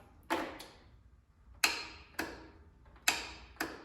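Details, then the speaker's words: Lawn tractor that won't start: single sharp clicks about a second apart, sometimes several clicks, with no cranking or engine sound; the starter solenoid clicks but doesn't pass power to the starter. The battery voltage was also being checked. "It's all you hear is click. And it'll even go into multiple clicks and it does not start."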